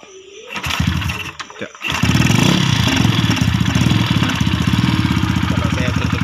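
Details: Yamaha SRL 115 FI (Lagenda 115 FI) that would not start because fuel pump pressure was too low for the injector: after handling noise the engine catches and settles into an even, steady idle with regular firing pulses; normal start and idle.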